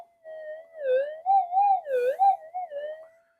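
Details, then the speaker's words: Metal detector in cancel mode, played through speaker: crackly tone wavering and swooping with no target; possibly flat amplifier batteries, likely poor coil connection causing unstable signal. "That was awful and crackly. It could be the batteries going flat in my amplifier, but anyway, no big deal."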